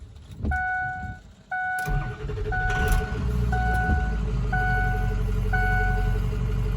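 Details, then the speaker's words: 2005 Ford F-450 dump truck, 6.0 Power Stroke diesel, restart on weak batteries after road test following fuel pump repair: chimes, brief crank, catches and settles into a steady even idle, good oil pressure, not overheating; normal start. "I think we got it guys everything's coming back on it's not overheating got good oil pressure"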